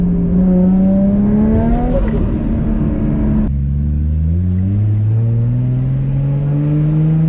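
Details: Built 550 hp R33 Skyline RB25DET on a test drive after a lifter repair. The exhaust pitch climbs smoothly, drops at the shift and pulls cleanly again with no ticking: a normal engine note under acceleration.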